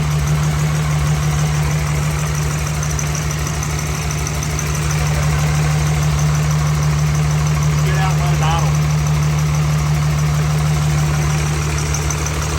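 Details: 6.7 Cummins swapped into a second-gen truck, first start after rebuild; idles steady but with a lumpy, loping beat from one dead cylinder caused by a damaged injector.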